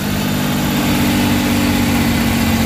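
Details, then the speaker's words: Suzuki K6A engine (DA63/DA64) just started after a general overhaul with XADO engine treatment: steady low hum holding an even beat with no knocks or misses; normal idle. "Yun. So far okay na yung andar niya."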